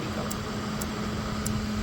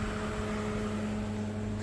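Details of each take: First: LG NeoChef inverter microwave running: steady low hum with a faint high tick about four times a second, turntable rotating, no error, door switches fine, but no heating; magnetron fault, inverter board the suspected focus. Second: LG NeoChef inverter microwave after magnetron replacement, first power-up; waveguide opening and closing audible, even fan rush with steady low electrical hum, no buzzing or arcing; normal operation, heats water.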